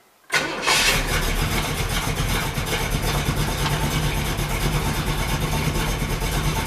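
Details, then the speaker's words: 383 Chevy V8 in a 1964 El Camino, first start: brief crank catches right away into a deep, throaty, even idle, a little noisier than hoped, no misses, knocks or ticks; normal cold start. "is a little noisier than I was hoping for but that's okay got a nice throaty sound to it so"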